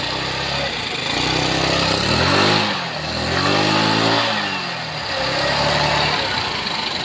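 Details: Rusi Motorstar GY6 scooter engine starts and idles evenly after a starter wiring fix, two smooth throttle blips rising and falling.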